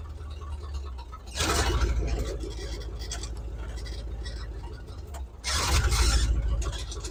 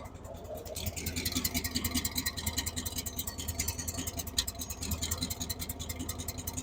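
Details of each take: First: 1978 Chevy K10, 305 cu in small-block V8, reassembled with inline fuel filter; deep, even idle with two throttle blips settling smoothly, no stumble or miss, running right; thermostat possibly sticking. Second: 1978 Chevy K10, 305 V8, idle after fixing a vacuum leak with a temporary line: valve tick gone, valvetrain good, but idle still rough and loping, two to three pulses per second; timing seems far advanced.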